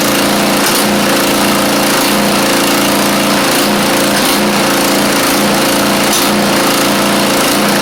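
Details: Craftsman YT4000 riding mower with a freshly swapped replacement engine (the original 24 hp Briggs appears to have run low on oil). A loud, steady buzzing note that dips about every second; the idle is set too low. Debris in the worn muffler is burning out.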